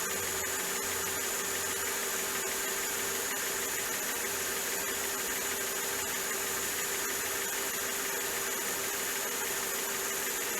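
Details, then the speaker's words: Mercedes-Benz S500 W220 at idle after new spark plugs and ignition wires: even, steady hum with no ticking or misses behind hiss; normal smooth idle. "and there you have it folks the engine is running super smooth there's a nice smell that nice just clean burning smell that lets you know that the fuel mixture is right everything sounds good don't hear any loud ticking coming from any of the spark plugs"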